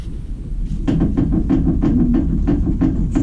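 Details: Carbureted Sens with clicking knock in the suspension, body rocked by hand while observed from the pit: dull hollow clunks about three per second; owner first suspected the riveted ball joint, but the cause is a worn front wheel hub bearing.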